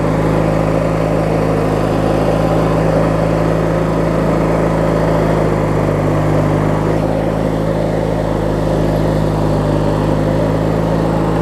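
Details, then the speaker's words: Craftsman LT1000 riding mower with a swapped-in opposed-twin engine, running after refueling and restarting; smooth, even low hum, steady throughout with no knocks, misses or surging; normal healthy idle. "I'll take two I'll leave you over here it runs good here"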